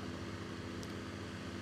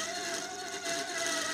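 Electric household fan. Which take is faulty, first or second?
second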